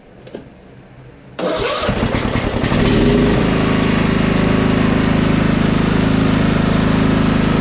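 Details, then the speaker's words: Husqvarna LT1538 mower with a Kohler CV15S that surged and quit, run after charging a dead battery. Single cylinder cranks, catches and settles fast but hunts up and down at idle; suspected fuel issue from old ethanol fuel in the carburetor. "sounds like a fuel to me now I started hunting"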